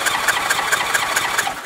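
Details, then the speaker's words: 1981 Honda GL1100 Gold Wing compression test cranking on the starter: even beat about four to five strokes a second, gauge rising immediately; tested cylinder has good compression, while another is marginal at under 100 psi and one is bad. "Realmente, esto ya es más para refacciones, pero de todos modos la vamos a arrancar. Mira cómo subió de inmediato."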